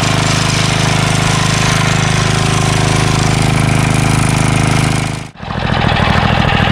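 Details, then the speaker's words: Craftsman 3HP Tecumseh lawn edger after water-contaminated oil drained, new SAE 30 oil, new carburetor, fuel line and air filter: starts after priming, runs fast and even with no misses. "prime's great got a new air filter on here and this thing runs like a champ now you know pretty cool pretty cool"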